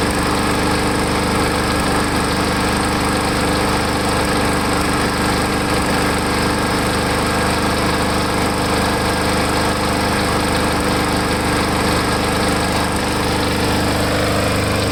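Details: Lawn mower small engine running after Seafoam was added to the fuel tank to cure a surge; a steady, fairly even drone with only slight wavering in speed, the surge settling out.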